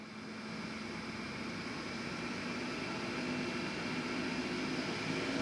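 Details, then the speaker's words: 2006 Lexus RX400h hybrid, 3.3L, check hybrid message, P3105 battery fault; scan tool commands battery cooling fans to mode 6: airy rush swelling as fans ramp up, with a terrible waveform; faulty hybrid battery cooling fans. "we're going to switch back and our waveform is getting pretty nasty I can hear the fans ramping up in the back"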